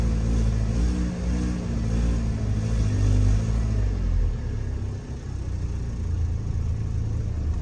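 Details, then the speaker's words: BMW E36 Compact, M4x four-cylinder, about 100,085 original miles, light throttle after starting with no throttle; rumble rises then sags unevenly and stumbles; throttle hesitation; owner suspects intake boot, maybe poor injectors. "If I give this thing some gas, it'll run. No problem. Little bit of throttle application. But it's like hesitant."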